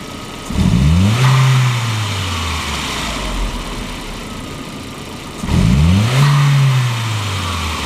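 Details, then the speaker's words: 1999 VW Passat 1.8T (AEB), intermittent hesitation and power loss, original MAF still fitted; MAF resistor allowed to cool, reading 0.9 V, for a known-good baseline. Two crisp throttle blips, revs climbing quickly and settling smoothly to steady idle: healthy throttle response. "those look a lot healthier this is still the old mass airflow I didn't replace it yet I just wanted to get the known good because this car wasn't acting up all the time"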